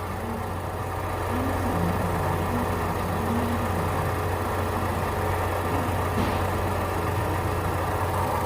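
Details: 2014 Ford Fusion with newly installed aftermarket alternator, after BMS reset: with the connector unplugged the engine idles smooth and stable with a steady low hum, no surging, and the meter reads stable; it needs an alternator, possibly a defective regulator.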